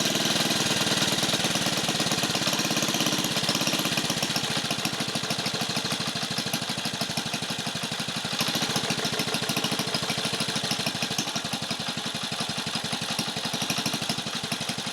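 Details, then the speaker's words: 1950 REO small engine, no parts available, just started after the choke found up and the air cleaner removed: steady, even putt-putt at roughly three beats a second with a crisp exhaust bark; running cleanly. "Let it run. It is running."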